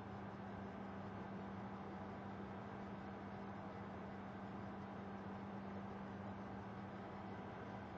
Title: Desktop buzzing noise